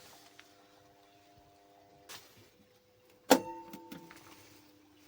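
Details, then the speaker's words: Three-phase pump-set motor on a 400 V starter that had not been switching on (phases and voltage confirmed fine): a sharp starter clunk, then a steady electric hum as the motor starts and runs normally. "Motor on ಆಯ್ತು"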